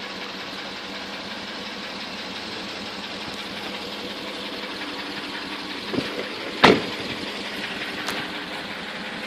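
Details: 2003 Porsche Cayenne S 4.5 V8 at idle, smoking badly from the exhaust: fast rough knocking beneath a steady hum plus a couple of brief clunks.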